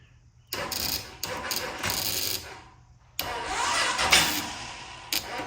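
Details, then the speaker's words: 2000 Honda Foreman 450 ATV after replacing starter solenoid; starter now engages but battery lacks voltage. Starter bursts in sluggish, dragging efforts with pauses, turning the engine too slowly to fire: slow cranking from weak battery, jumper box next. "So, it is it is turning over now. But as you can tell that that battery does not have enough voltage to turn that over."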